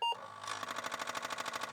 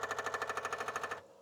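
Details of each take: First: Distar Apple II clone floppy drive (Disk II clone) under repair, with no track zero sensor, head moved off position then powered on. Rapid harsh buzzing knocks, about twelve a second for over a second, then quiet; head banging its end stop. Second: Repaired Apple II Disk II floppy drive, cleaned and reassembled with added sockets, reading a Greaseweazle-written disk: loud rapid clatter, about a dozen even head-step clicks in a second, then settles; loud but working.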